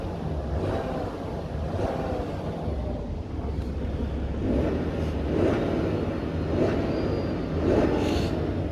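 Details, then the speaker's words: BMW F11 535xd diesel, 313 hp, after rebuild following catastrophic engine failure: even, deep rumble with smooth steady beat, no ticking or knocking; normal diesel idle. "it means that this car is finally driving finally running and working like a Swiss clock let me show you that wow no more noise no engine ticking"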